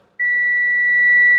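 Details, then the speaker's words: Relay bench test with a meter for a Viva 850 with crazy rpm: the faulty relay beeps continuously with no current applied because its contacts always touch, whereas a good relay only sounds when current flows. "Karena kalau bunyi rosak dia sentiasa sentuh."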